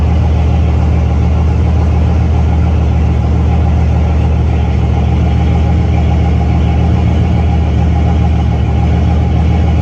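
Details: C6 Corvette, built LS3 V8 with big turbo (about 88), air-to-water intercooler, manual, first fire-up on Holley EFI after a quick tune (about 1% closed-loop correction, AFR on target): deep, steady V8 burble at idle, no stumble or hunting; smooth.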